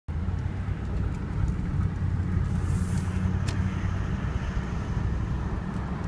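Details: Engine at idle with a rough, uneven rumble underneath and no clear knock rhythm; an abnormal noise of unknown cause.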